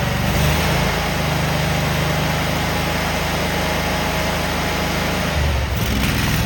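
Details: Cub Cadet Super 2284 lawn tractor with electrical issues and no electric clutch, very dirty, missing bolts, rear cover off. On a test fire the twin gives a steady low putter with an even beat and no misses or surging, running normally.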